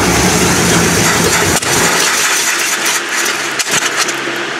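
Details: 1979 Chevy K20 on a supposedly rebuilt but never-tested used carburetor: it catches, runs rough and uneven, then stumbles toward stalling. A carb fuel-delivery fault is suspected, along with timing off and a leaking fuel line.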